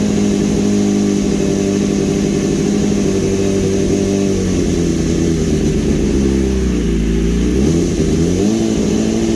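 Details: 2015 BMW S1000RR after an engine swap, started again after topping up fluids: holds a steady idle, then revs up and drops back cleanly with no knocks or rattles; normal running.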